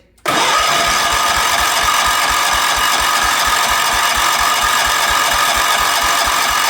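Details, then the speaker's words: 1977 Wheel Horse B-100 lawn tractor, now with spark and throttle slightly open: starter churns steadily at four to five compression pulses a second but never catches, cranking no start; backfires through the carburetor, owner suspects ignition timing is off. "All it wants to do is backfire through the carburetor. Doesn't actually want to start, which leads me to believe that it's potentially out of time."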